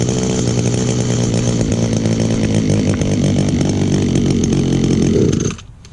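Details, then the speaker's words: Almost 18-year-old two-stroke trimmer with a primer under the carburetor. Strong, even buzz held about five seconds before shutoff, no misses. Runs excellent with great compression; normal running. "Oh yeah. For a trimmer that's almost 18 years old, it still runs excellent. Still has great compression too."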